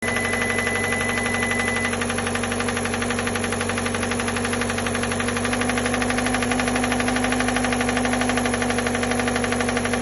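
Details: Hyundai Elantra petrol engine idling, before rod bearing replacement: steady quick knock underneath about four a second, from worn rod bearings.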